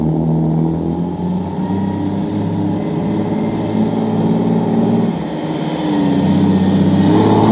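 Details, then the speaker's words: Jeep YJ rock crawler buggy, 4.0L straight six, new custom stainless side-exit exhaust wrapped in DEI exhaust wrap: deep even rumble swelling smoothly with revs, no ticking, popping or leak hiss; healthy exhaust note. "So anyway, guys, that is a wrap. The exhaust is done. Sounds good, looks good."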